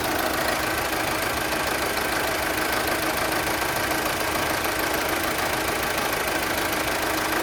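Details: Vectra 2.2 16v: a busy idle with a fast ticking knock about three per second, uneven and wavering; rough idle with engine noise, source undetermined.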